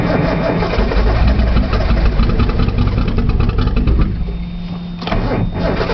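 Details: Nissan Z, cold outside, cold start valve unplugged, solenoid checked, brake cleaner used as starting fluid: steady starter churn about three turns a second, never firing; cranks but won't start.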